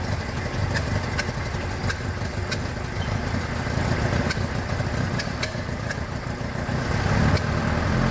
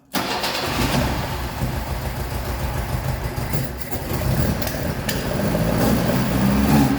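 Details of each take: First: 1976 BMW 2002, Weber carbs, big camshaft, long-tube headers, ANSA exhaust, first run after 22 years: rough uneven loping idle with faint ticking, ignition timing keeps running away. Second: 1976 BMW 2002, Weber carbs, big camshaft, long-tube headers, ANSA exhaust, after 22 years, after fixing way-off points gap and checking dwell: fires instantly, steady even idle with slight rise in speed, runs pretty good.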